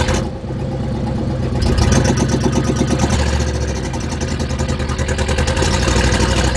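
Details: 1976 GMC Vandura 3500 motorhome V8 after work on the contacts and an oil change: it catches, then settles into an uneven, lumpy beat with stumbles and sputters. It is still running rough; cause not confirmed.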